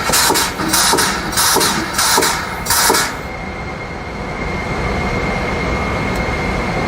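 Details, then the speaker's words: HIP T-Series high-pressure pump on test bench, after air cycle going up to operating pressure as motor kicks in; a few rhythmic pulses about every half second, then steady even rush with faint high whine holding pressure; normal. "and then we're going to go up to our operating pressure, and that's when you'll hear the motor"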